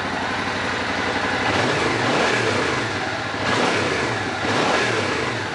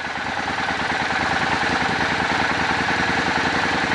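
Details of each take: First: Suzuki Boulevard motorcycle revived after sitting for years, after vacuum synchronization: several quick rev blips rise and fall cleanly from a steady idle without stumbling or popping; crisp, healthy throttle response. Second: Old Suzuki Boulevard V-twin, carburetors synced, idle mixture screws turned for highest vacuum: even lumpy twin idle pulsing about three times a second, speed gradually picking up as vacuum increases; mixture adjustment.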